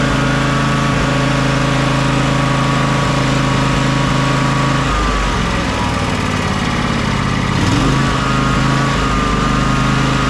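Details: John Deere X300 riding mower at fast idle, warm, after choke and carburetor work: fairly even, then sags briefly twice within ten seconds; suspected fuel contamination needing flushing, or carburetor-to-intake gasket air leak, unconfirmed.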